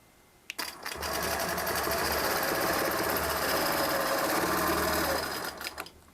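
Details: Longarm quilting machine stitching ruler-guided feathers on a quilt: an even, steady stitching rhythm with light mechanical chatter for about four seconds, no knocks or snags. The owner elsewhere suspects the needle needs changing; normal stitching.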